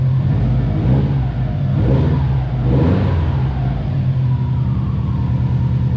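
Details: Subaru WRX STI V5 revving up and down with a deep, even exhaust note and no tick or rattle through the range, after fixing the ticking; normal revving.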